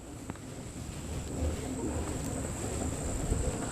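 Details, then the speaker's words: 10-inch self-balancing scooter with pneumatic tires, after wheel and pivot adjustment for grinding noise: low even rolling rumble with faint steady high whine, no grinding or scraping; wheel now runs quietly. "as you can see does not make that sound any more perfectly quiet no more"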